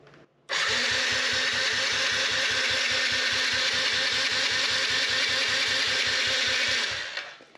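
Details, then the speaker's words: 2015 Yamaha TTR50 dirt bike after draining the carburetor bowl, fuel and switches on: steady cranking at about two and a half pulses a second, no firing; owner suspects pilot jet clogged by ethanol from old gas. "no fire that leads me to believe stuck pilot jet it's a smallest hole inside the carburetor probably clogged with just some ethanol happens when the gas gets older"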